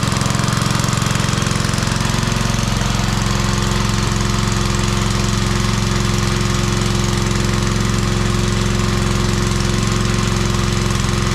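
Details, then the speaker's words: Old Briggs 5 hp on homemade wood splitter, run without air cleaner, little fuel added: steady drone with faint early tone shift, slightly uneven and surging; owner suspects it's running out of fuel. "It's possible you ain't sucking it all down because I didn't put much in. Plus I lost some with the vacuum there. It almost sounds like it's running out, huh?"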